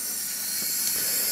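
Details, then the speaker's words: Home hot-water boiler heating system being bled of air through a drain hose with zone valves closed; steady high airy hiss as the fill (make-up water) valve adds water after the pressure drop: boiler fill valve hissing while refilling. "hear that noise that is the fill valve starting to add water into the system because it's noticed the pressure drop"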